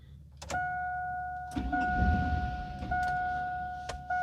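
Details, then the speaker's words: 1999-2007 GMT800 Chevy Vortec V8 truck after PCM replacement, during the VATS relearn: short bursts of cranking that never fire, over a steady chime; the anti-theft lockout stops it from starting. "right, it didn't start."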